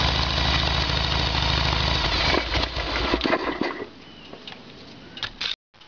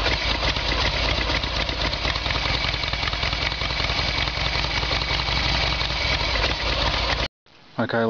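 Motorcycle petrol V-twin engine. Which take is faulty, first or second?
first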